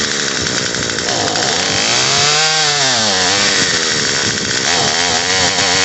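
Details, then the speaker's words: Murray M2500 trimmer after carburetor fuel line repair, started at full choke and full throttle: high buzz sags hard and drops in pitch when throttle is opened, then recovers. Bogs on acceleration; high-speed carburetor screw adjustment next. "fires it's wanting to bog out you hear it when you give it throttle it's trying to bog out"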